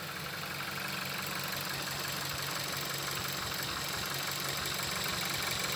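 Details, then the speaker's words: 2015 Audi A3 1.4 TFSI petrol, first start after swapping in a replacement engine for bearing knock, coolant not yet added: even, settled idle at a constant pitch with no knock or miss; running cleanly on its own. "But it sounds good. This thing sounds. It sounds good. Okay, it's idling now. It's idling on its own."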